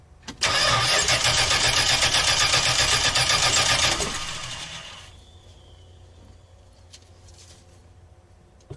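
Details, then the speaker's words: RV engine that sat a while after its gas was drained: the starter churns steadily at about four beats a second for nearly four seconds, then winds down without catching; the owner suspects fuel must be drawn back through the line; fuel starvation. "yeah well I just got to get it to suck the gas back through the lung hey this happened last time when I let it sit for a while and then I drained all the gas out like that"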